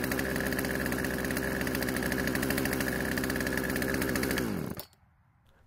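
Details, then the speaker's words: Poulan chainsaw after old fuel was drained from the tank, lines and carb and fresh mixed fuel added. Two-stroke buzzes at a steady, fast idle with no dip, then cuts off. Idle speed is too high, keeping the chain moving. "the only issue was that the idle speed was much too high causing the chain to keep moving which is obviously something we need to fix"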